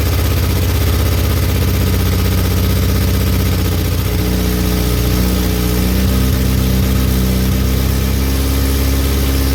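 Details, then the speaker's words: VW Golf Mk2 petrol first run in 20 years, about -2°C, fuel fed manually after leak: low, slightly uneven note settling into steadier idle after a few seconds; engine running. "But it ran. It ran. First time in 20 years. That car runs."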